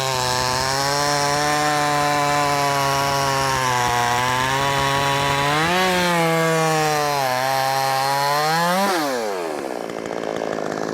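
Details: Brand-new, unbroken-in Wemars 6220 clone chainsaw, carb leaned slightly from very rich factory setting: strong, loud, steady two-stroke howl, rpm dipping in the cut and clearing cleanly as it revs free; healthy, powerful saw under load.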